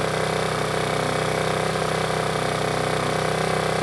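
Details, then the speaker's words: Generator with a Yamaha MZ80 engine, a first-pull starter: a steady, even mid-pitched drone with a smooth regular beat and no misses or knocks. Normal running; the owner says both generators run real well. "both run real well"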